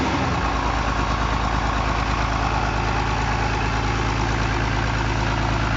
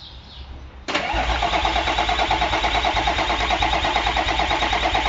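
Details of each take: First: Diesel engine with long-neck injection pump at steady idle after pump replacement and fuel bleeding, idle turned down; even beat about three per second with no pump clatter, sounds healthy. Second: Diesel engine after a long-neck injection pump replacement and fuel bleeding; starter cranks steadily at about three compression beats a second but never fires; the pump's head is to be switched to the other side if it still won't start.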